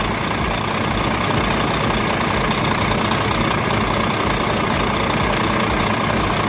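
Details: Volvo truck diesel after fixing a crank-but-no-start hard starting fuel system problem: steady, even idle clatter with no misses, surges or knocks; running normally.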